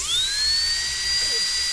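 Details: Dental delivery unit after replacing DCI 6310 foot pedal, water and mist activating correctly: quick rising whine settling into strong steady high tone; handpiece at full healthy speed, normal.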